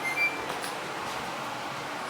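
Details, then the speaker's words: Apartment gas furnace running on a heat call, filter good, heat coming from registers; even, steady airy rush with no knocks, rubbing or squeal; blower fan running normally. "There you go. Fan's running."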